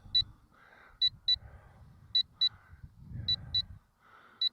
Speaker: you hear that beeping that is the um Telemetry warning it gives you about a two- minute warning when the battery gets